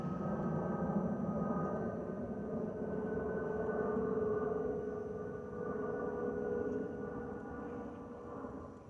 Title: Delta Airlines Airbus A319-114 N347NB DL2170 LGA-DTW (FOPP whistling sound)